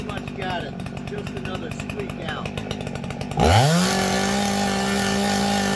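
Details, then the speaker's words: Husqvarna 266XP chainsaw being carburetor-tuned after chain and bar service: idle burble, then full-throttle rev holding a high tone that wavers up and down; normal four-stroking after the mixture was backed out slightly from too-high rpm. "okay four strokes and it went right to too high of a r so I'm going to back it out just a little bit"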